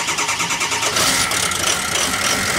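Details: Ford 6.0 diesel with a no-start diagnosed to the injection control pressure regulator: even cranking pulses for about a second, then it catches and runs rough while purging air from the high-pressure oil system. ICP needs about 800–1000 psi to start.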